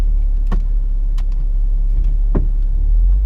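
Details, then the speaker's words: B8.5 Audi S4 on the road just after a Stage 1 Jackal ECU and TCU tune: sharp single knocks, about one per second, over road rumble; a suspension clunk from under the car, not the control arms, possibly the subframe. "Donk. Still ain't figured that noise out. It's not control arms, is all I can do. Other than that, I don't know what else it could be. Subframe."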